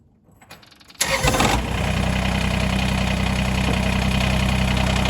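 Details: Kubota BX2380 diesel tractor, after removing a tiny piece of silicone gasket maker that stopped the PTO, mid PTO selected with nothing attached: engine catches at once into a steady even chug of about four beats a second; normal start.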